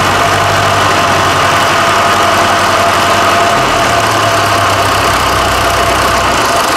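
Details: Fordson Super Major, bought as a seized non-runner, on the first start after its engine swap: steady, even diesel clatter at constant idle with no knocks or misses. Normal diesel running.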